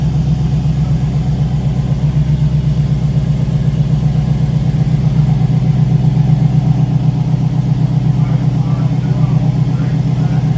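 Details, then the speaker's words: LS V8 swapped into a Volvo, just started for the first time, with stock pump, four-to-four gold idols and homemade exhaust: deep, steady idle lope, even pulses about 2.5 a second, loud exhaust; sounds healthy. "we didn't get it started on friday but two minutes into freaking saturday it's running man"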